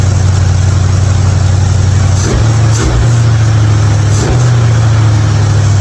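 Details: '55 Chevy hotrod after a spark plug change for fouled plugs and popping: deep, steady burble with slight lope, no popping or dropped beats, idling smoothly.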